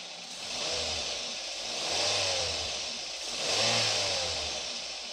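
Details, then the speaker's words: Daihatsu Gran Max engine that ran rough because the valve clearance was too loose, heard after repair, refitted in the vehicle. Revs climb and fall smoothly with an even note and no rough clatter; the sound is back to standard. Normal running. "Oke sekarang kita tes atau kita coba gimana hasilnya agan2 sudah berbeda dari suaranya yang tadinya atau kasar Tapi sekarang sudah kembali standar"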